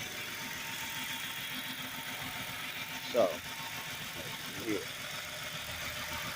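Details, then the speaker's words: 2008 Chrysler 300 with 2.7L V6, everyday driver, idling with the hood open. A smooth, even idle hum with no knocks or ticks and only a couple of brief background bumps: normal, healthy engine. "Car runs excellent. Again, it's my everyday ride, what have you, as you can hear, what have you. There's nothing wrong with the car at all, what have you."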